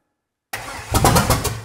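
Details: 1955 Buick Special V8, parked since 1968, first start attempt with jump pack added and timing eyeballed: about five strong evenly spaced cranking beats, spinning briskly; starter now has enough power.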